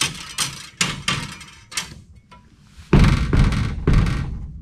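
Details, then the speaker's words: 2009 Ford F250 bed toolbox, rattle triggered by bumping the truck: hollow metallic clunks from loose toolbox dividers. Fixed by bending the dividers and adding carpet underlayment; the toolbox latch also rattles. "okay i bent the dividers just a little bit so they don't rattle now and i put some carpet underlayment under there"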